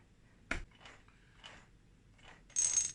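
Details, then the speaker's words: Yamaha DT125R rebuilt bottom end, gear pack turned by hand in neutral after replacing a worn selector fork: click then light ratcheting whir, just normal idler cog noise. "That noise is just the idler cog when I turn the pack."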